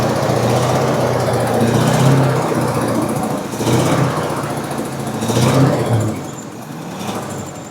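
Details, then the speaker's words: 1973 International Scout V8, unused for years, first running: speed surges up and down every couple of seconds with a lumpy beat, as if starving. Suspected fuel line or choke; not confirmed. "I can tell it's starting to take more fuel in or peter out. >> I think it's going to start to peter out here in a second, but I could be wrong."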